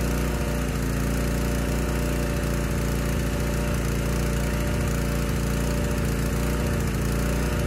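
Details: Honda EG1400x generator bought non-running, running with the air filter refitted after load testing. It started on the second pull but gives a steady drone with slightly uneven, loping beats at a low settled speed. Running rich; oil-soaked air filter.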